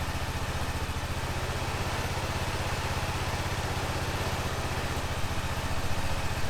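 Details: 2005 Honda TRX650 Rincon, 650cc single-cylinder four-stroke, on choke in neutral after a no-run condition: even, steady putter at idle with no misses, knocks or hunting; runs healthy while warming up.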